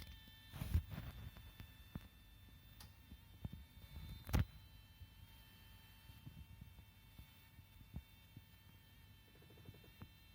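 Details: Mini Cooper S, bought a couple of months ago, parked in a garage after driving: a faint, steady high-pitched buzzing/hissing like an insect's whine after shutdown; cause unknown, owner unsure whether it is a problem.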